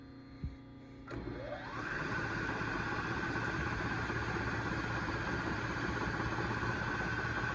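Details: Lathe-headstock milling machine power head, first start on a phase converter set for about 48 RPM: brief whir spinning up, then a steady, even hum with a faint constant tone, no knocks; runs smoothly.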